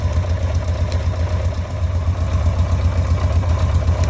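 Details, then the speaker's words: Carbureted motorcycle idling after replacing a home-modified airbox with an original one, settings previously unstable: low deep idle with even steady pulse, no stumbles or hunting; owner says it has never sounded this regular. "Le son il est régulier, c'est un truc de fou. J'ai jamais eu ça."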